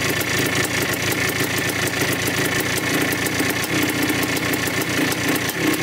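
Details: 1987 Yamaha YZ 490 two-stroke after carburettor rework for bogging, warmed up: steady, crisp burble with an even, fast crackle and no misses or surging. The air screw is at 2¼ turns out, in spec, giving a healthy idle.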